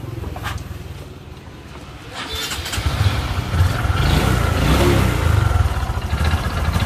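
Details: Honda Future 125 motorcycle catches after a few seconds and revs with a heavy, rough low clatter and uneven beat; scored, seized cylinder.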